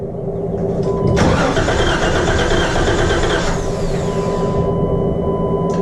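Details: Wrecked 2012 Jeep Wrangler being rebuilt, first start attempt. The starter cranks at about three turns a second, with a brief ragged catch that fails to keep running. The cause is unconfirmed, though the engine did run on a later try.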